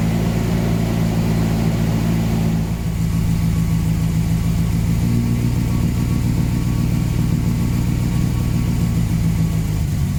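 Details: 1979 Volvo 240 with the exhaust swapped from another 240 and the intake pre-heater hose removed, first start; rough, lumpy idle with a loud puffing rasp from a massive exhaust manifold leak.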